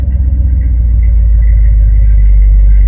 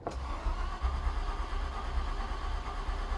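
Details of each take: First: Ford Galaxie 500 with rebuilt V8, first start after flooding; soaked old plugs were cleaned, wire-brushed and burned off. Cold engine fires and settles to a deep, steady, even rumble with no misses or knocks; running normally while warming up. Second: Ford Galaxie 500 after its first run: slow, uneven starter churning for several seconds that never catches. Engine is flooded with fuel; owner blames the carburetor as not suited to the car and considers cleaning and heating the plugs.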